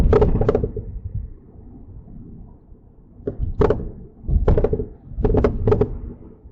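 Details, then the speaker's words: Mercedes-Benz C300 on a test drive just after front-end work (CV axles, wheel bearings, front brakes), microphone in the back seat: sharp irregular clunks and knocks in bursts from the rear over quiet road noise; something loose, cause not yet found. "So, that is what I have been hearing. Um, again, I got to pull it in, take a look around, and see what is loose or what's going on in the rear. Where that noise is coming from."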